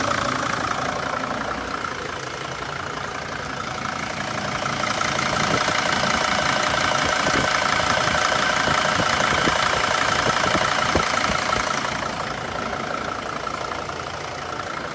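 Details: Steady, even diesel idle on a T1N Sprinter after the loose, moving harmonic balancer was temporarily refitted and the belt reinstalled; the earlier clicking and squeaking from the front of the engine is gone and it runs smooth and settled.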